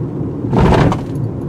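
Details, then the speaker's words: 2018 Toyota RAV4 Adventure, larger wheels and tires, crossing a speed bump at about 25 to 30 mph: one dull short low thud, no rattle or clunk after; ordinary thumping, not felt inside. "heard a lot of thumping but didn't feel it"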